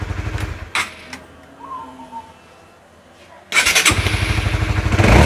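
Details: Honda CB150R electric start after fixing a starter that only clicked: brief crank and the single catches straight into a steady idle. The worn, thin starter motor brushes were replaced, and the starter now engages cleanly.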